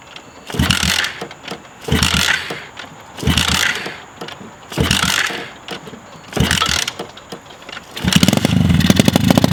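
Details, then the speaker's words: Lake-recovered mini pit bike, engine water-filled, fresh oil, ethanol-free 93 fuel, first real start attempt: strained kick-over bursts about a second apart, then it catches into rough but steady running, WD40 burning off; it runs. "oh that's all the WD40 just burning off it guys wow this thing actually runs"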